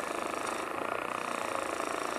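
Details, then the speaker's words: Lathe turning a green epoxy resin blank with acorn caps: a rapid, even buzzing rattle pulses through the cut, tool chatter that meant some chip-out. "there you can hear the chatter that means I was getting a little bit of chip out"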